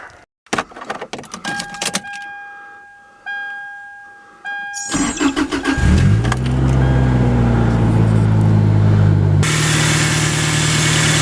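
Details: Toyota Tacoma engine started after replacing the drive belts: cranks, catches quickly and settles into a steady, even idle with no belt squeal or chirp.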